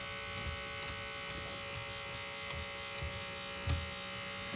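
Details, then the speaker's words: Akai GX-R88 cassette deck, no display: constant high electric buzz with small ticks as the mode motor keeps running when it should shut off; cause not confirmed. "I'm just going to spin it counterclockwise till the door ejects and hopefully this motor shuts off"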